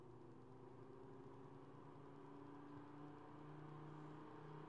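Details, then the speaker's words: Lab Series L11 200-watt guitar amplifier, new replacement cooling fan: low, soft steady whir with faint hum, good airflow, no rattle or ticking; quiet, normal fan running. "It's got a good airflow going, but it's pretty quiet."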